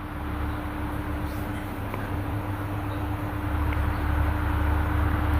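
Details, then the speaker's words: Sharp electric fan after disassembly and repair, on speed 1 and oscillating: steady low hum with no knocking, the earlier internal knocking noise gone. "อ่านะครับหายเลยนะเสียงกงๆนะโอเคครับก็จะประมาณนี้นะครับสำหรับ"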